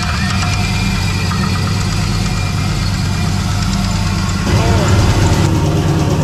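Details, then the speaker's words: Engine that spun a rod bearing despite good oil temperatures and pressures and an added oil cooler; high air temps led to detonation. Deep, rough knock about three beats a second through a heavy idle, louder as revs rise. "Then it actually spun and it was clearly knocking. So, you can kind of go back to the start of the video for uh the sound of that."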